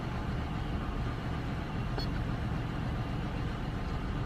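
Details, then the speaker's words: GM car idling before repair with the check engine light on and code P0300 random cylinder misfire. Low, slightly uneven and lumpy idle. "Read codes. Okay, we got a P300 random cylinder misfire. Yeah, I kind of sensed that, man. The way that thing was just running."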